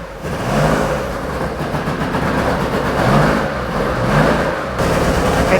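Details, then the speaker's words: Porsche 911 2.8 RSR build flat-six on Link ECU: uneven, stumbling exhaust beat rising and sagging with throttle, smoking a lot; definitely missing, cylinders 1 and 5 later found not firing. "smoking a lot. It's definitely missing."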